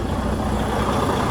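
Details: Detroit DD15 diesel idling after fuel pump replacement, new lines and fuel-system cleanup for metal shavings: steady, even smooth low rumble with no knocks or misses; fuel pressures good, running healthy.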